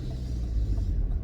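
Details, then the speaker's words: Volvo FH4 truck engine, about 100,000 mileage, at normal temperature: deep diesel idle with a faint sharp knock from the top of the engine about every two-thirds of a second, like early ignition on one cylinder; diagnostics show nothing, cause unconfirmed. "вверху и стучит вот именно вот вот этот звук, он чисто напоминает вот как вот раннее зажигание на одном из цилиндров. Вот как будто на одном из цилиндров происходит раннее зажигание."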